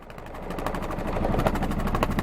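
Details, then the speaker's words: 1978 Yanmar YSB8 marine diesel, sat 10+ years in a flooded boat, first run in years, low idle shifting through neutral and reverse: steady rapid clatter with an even beat and no misses; forward and reverse both work, perfectly working engine. "Oh yeah, we got reverse too. There we go. We got a perfectly working engine there."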